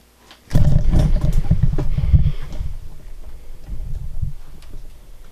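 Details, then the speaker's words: Panasonic 3DO FZ-10 disc drive repair after a seized motor. A rough, low grinding growl starts as the drive spins up and stutters unevenly, still grinding after the gears were reseated. "still sounds pretty bad I mean starting but it doesn't sound good still grinding along"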